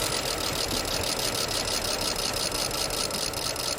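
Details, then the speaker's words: 2010 BMW 535i E61 wagon, automatic, all-wheel drive, auction car that sat a while, cold start: choppy, lumpy, near-stalling idle; misfiring, runs poorly. "I don't know if it does run or not let's find out it should run but they all should run nothing so it runs poorly it still counts why are you so unhappy now you were fine last time oh"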